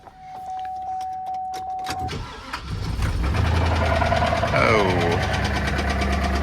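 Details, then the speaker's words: 6.0 LS V8 (Chevy Silverado) cranks, fires and idles with a deep, regular knock underneath; earlier thought to be lifter noise, judged a big rod knock. "Yeah, they thought it was just a lifter noise. That's uh maybe if they're talking about the lifter, the lift's the piston. That's a rod knock big time."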